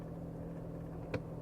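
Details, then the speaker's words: 2014 Dodge Avenger after blend door actuator replacement: steady low engine idle hum with one brief click from the control when switching heat to cold; no repeated ticking from the dash anymore. "to cold, you don't hear that ticking noise or clicking noise. It is all done."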